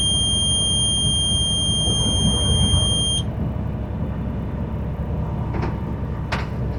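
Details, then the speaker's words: School bus diesel engine running at high idle while building air pressure to 120–140 psi governor cutout during the AM brake check; a shrill warning buzzer sounds for about three seconds over an even, fast diesel rumble; normal high idle. "And I'm going to go ahead and turn it on the high idle to facilitate this building up."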